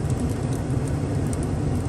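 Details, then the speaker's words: 1980s GM G-body HVAC blower motor switched to max after reconnecting a loose cable from the cigarette lighter harness, windows up: steady, even rush of air with constant low hum, no flutter; blower running normally at full speed. "we're going to switch it to max look at that now i have airflow"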